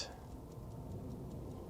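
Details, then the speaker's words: Vintage Howard Miller ship's bells clock after fixing a bent little wheel: quiet, crisp ticks about five a second, evenly spaced and strong, never sounded this good before. Movement running healthily. "this thing sounds really good I think it's going to run now I'm just going to keep listening for a minute here and uh it sounds really strong it didn't sound never sounded this good before"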